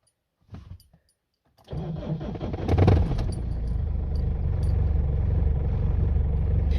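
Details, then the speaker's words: Foton Tunland Cummins 2.8 diesel first start after fitting refurbished injectors: short crank, catches cleanly into steady even idle, no misses or knocks; injectors seem to have been the fault. "success people [Applause] success reer injectors in George diesel thank you guys seems to have been the problem"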